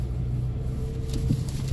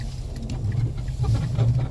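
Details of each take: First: Mazda driven over bumps at about 12°C after zip-tying the loose front undertray (knocked by a snowbank): steady road rumble, no rattling from underneath; retest pending in colder weather, when the noise usually appears. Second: Mazda driving over bumps, noise from front right after hitting a snowbank, worse in very cold weather: low groaning rumble with irregular creaks from front end.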